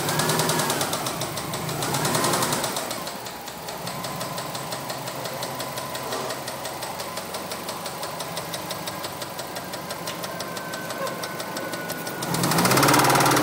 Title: 04 WRX rod knock